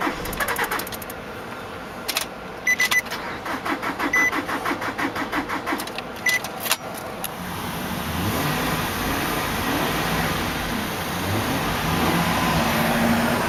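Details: 2003 Nissan Altima 2.5 S with a blown engine, sitting about 8 months, jump-started: starter churns light and uneven at about three beats a second and never catches; not enough compression to fire, flywheel also reportedly bad.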